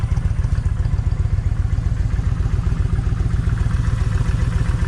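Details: Kawasaki Vulcan 1600 V-twin, lumpy idle about 220 beats a minute with a skipping pulse; left cylinder's plug stays wet. Owner tests wires to tell bad coil from bad plug wire; still no difference.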